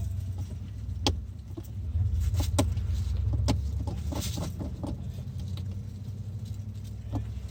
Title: 2018 kicks no start.